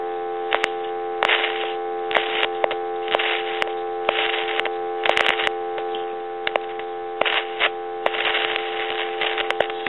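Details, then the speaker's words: Tele Concepts telephone: steady dial tone broken by sharp irregular crackles and sizzling each time the potentiometer is touched; noisy potentiometer, possibly to be replaced with a fixed resistor. "you can hear that sizzling I'm going to go ahead and take dalone away and I'm going to touch this potentiometer and you can hear that sizzling and cracking from that potentiometer"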